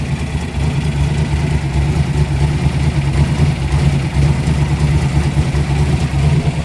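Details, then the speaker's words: Turbo big-block Chrysler (Mopar) during heat cycle after build, at about 150 degrees, before head retorque: loud rough idle with a loosely regular tick about twice a second once warm; owner suspects rockers, source unconfirmed. "I don't like that sound. That's the rockers. It's only at 150, so not a fan."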